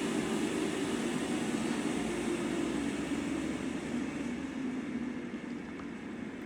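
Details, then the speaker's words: Inline centrifugal ventilation fan turned down to about 50% speed, uninstalled, heard standing next to it: soft steady airflow hush with faint low hum, no rattles, slowly easing quieter; healthy fan at reduced speed. "So, there it's running at about 50% speed currently. You can only just hear it when you're standing next to it."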